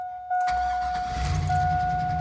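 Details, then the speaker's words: 2001 Chevy Suburban, which previously would not start at all, after a new aftermarket fuel pump assembly was fitted through the floor: pump heard running, then a short crank catches fast into a steady, even idle; clean start. "Oh my goodness. It's a beautiful thing."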